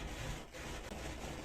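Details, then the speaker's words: 1970s Nikko TRM-650 amplifier, DC offset set to about 2 mV before connecting speakers; steady crackling and hiss from the speakers with no signal, from dirty potentiometers needing cleaning. "Ale trzaski. Dobra, no to już wiemy, że na pewno potencja mamy do zrobienia."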